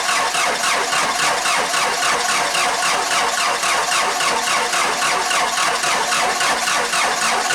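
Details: Cummins 4BT diesel Jeep at about 30°F, cold: long steady cranking for seconds without catching; hard cold starting, fixed by adding a 6BT grid heater and resealing, then replacing, the VE injection pump.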